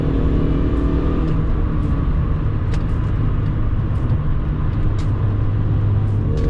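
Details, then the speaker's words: Mini Cooper R53 supercharged engine accelerating on the road after a 17% supercharger pulley and belt tensioner upgrade, deep even drone building under load, no knocks, misfires or belt squeal; normal. "You hear the engine noises now, and see for yourself how well this pulls."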